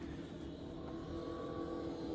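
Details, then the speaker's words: Motorcycle from a questionable restoration, handlebars hitting tank and clutch lever angled too high, engine running: steady, even note without stumbles or rattles; sounds decent, runs okay. "Who knows how it is to ride, but it does run. Well, I mean, it runs. It sounds decent. It sounds like it's running okay."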